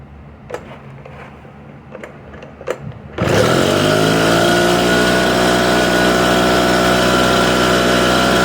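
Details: Echo PB770H two-stroke blower with a hot-restart problem, started hot with no prime and no choke: a few clicks, then catches at once and settles into a steady, even high buzz with no stumbling; starts clean.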